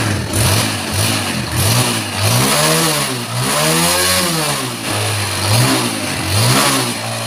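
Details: Yamaha Jupiter Z1 small single-cylinder engine, just reassembled after fixing a previous shop's botched repair and refilled with new oil, idles evenly then revs cleanly up and down several times without stumbling or knocking; sounds healthy.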